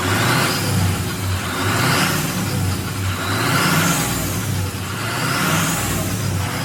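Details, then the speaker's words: Abandoned Ford F550 diesel truck after lift pump fix, revving: engine rises and falls in slow waves with a rising turbo whoosh each rev, no knocks or engine noises, not falling on its face; healthy diesel revving with turbo spool. "And also the truck is running beautifully. It's not falling on its face, nothing. It's all perfect. We don't hear no noises coming from the engine."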